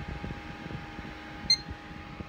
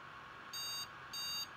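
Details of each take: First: Threadripper PC on an Asus Zenith Extreme motherboard with two RAM sticks in the first two slots: one short beep, then fans spin up to a steady whir; normal boot, whereas four sticks give a three-beep code and no boot. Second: Asus Zenith Extreme motherboard, Threadripper build, at power-on: three long, even high-pitched memory beep codes, no boot, whenever RAM is added to the outer two slots; second board, sticks tested good.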